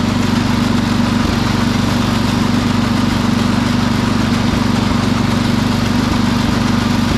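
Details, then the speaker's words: Sears Suburban 12 lawn tractor with a Tecumseh 12hp engine on a test drive: steady single-cylinder drone at speed, broken every second or two by a brief stumble, spitting and sputtering at higher rpm. Owner suspects the fuel pump needs rebuilding; a fuel line also leaks slightly. "well it didn't run too bad it was spitting and sputtering a little bit at the higher RPM so I'm thinking this fuel pump needs to be rebuilt"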